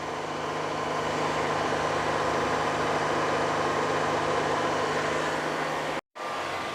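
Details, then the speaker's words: 2013 Honda Odyssey 3.5 L, wheels spinning at a steady 60 km/h in gear, checking for bearing noise felt at the strut: smooth, even hum, no growl, rumble or cyclic grinding; normal wheel bearings. "so we're going to go to the front and feel the strut to see if I feel anything any vibration because the the noise will be transferred the wheel bearing noise will be transferred over to the strut I don't feel anything"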